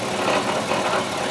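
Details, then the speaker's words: 2003 Chevrolet Tahoe V8 idling with a loose, tinny rattle, heard from underneath; flex plate was suspected earlier but now doubted, a bad catalytic converter is suspected; engine also losing coolant, suspected head gasket. "Yeah, it's still rattling, making that sound."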